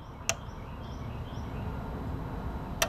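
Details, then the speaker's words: 1992 19-inch Sanyo TV, possibly lightning struck: one sharp relay click at switch-on, no high voltage comes up, then a second click about 2.5 seconds later as it shuts off; suspected overcurrent shutdown. "Now I turn it on, the relay pulls in, no high voltage comes up, and then it clicks off."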